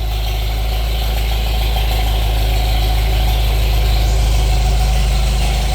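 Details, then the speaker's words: Old tractor parked for years (Farmall Super MTA or John Deere MI) idling after restart with air cleaner reattached: steady, even low rumble about three beats per second, no knocks or misses; idles nice, good oil pressure, slightly warm. "Sounds pretty good. All right, we've got the uh air cleaner hooked back up. It's sitting here idling nice."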